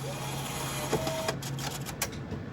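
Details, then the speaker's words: Creative bill validator after removing a jammed bill and closing it tight: short motor whir with light clicks as the bill pulls in, no stalling or grinding; feeding normally. "You can go ahead and start to feed your bill validator. And once when that is feeding, you'll be able to hear it go."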